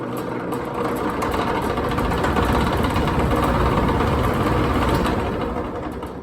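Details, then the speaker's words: Shop fan startup: rough fairly regular ticking rattle about three per second over the fan drone as it spins up; bad bearings suspected. "has some bad bearings tell you that much goodness"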